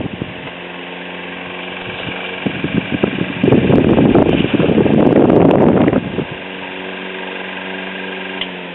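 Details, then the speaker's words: 1920s Robbins & Myers three-speed oscillating desk fan, running after a new headwire was fitted, with little difference between speeds. A steady hum carries a light scraping rub that swells midway. The cause of the rubbing noise is still to be investigated at teardown. "a couple of things I've noticed it still makes a little rubbing sound that I'm going to have to investigate further whenever I take it apart to do the cosmetic restoration"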